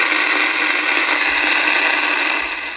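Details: Uniden MB8719 CB radio on AM with only the antenna connected, after adjusting a badly misadjusted receive stage near the finals: loud, steady open-channel static hiss with no dropouts, normal strong receiver.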